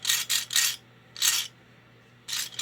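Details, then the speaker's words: Lionel 6020W tender under restoration: its small wheels spin with short rough rasping bursts from dry axles, before oiling; they go quiet once lubricated. "You can hear the vibrations, so they're due for some lubrication."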